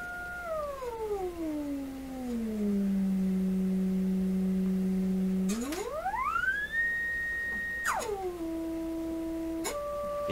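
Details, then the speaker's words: Florida AM/FM/SW tube radio being checked for low output and distortion, running on low voltage: a pure test tone sweeps down and up with no buzz, crackle or rasp, so output is clean at this level; distortion appears once the receiver volume is raised. "it sounds really good actually I don't hear any problem"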